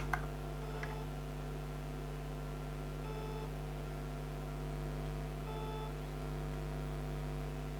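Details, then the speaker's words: Failed Seagate Barracuda 3TB drive on its SATA base, powered up: a steady low spindle hum with a few isolated clicks, scrapes and brief chirps as it keeps cycling and never comes ready; cause unknown, owner doesn't believe it was dropped. "See that scrape a little bit there. If anyone can tell me why it does that, that'd be awesome."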